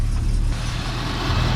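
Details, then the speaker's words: 1978 Ford F100 V8 after exhaust leak fixed and cheap replacement parts fitted: low, lumpy idle with uneven beat and a stumble, no exhaust ticking; heavy misfire. "yeah thing's got a heavy Miss but it sounds like the exhaust leak has been fixed"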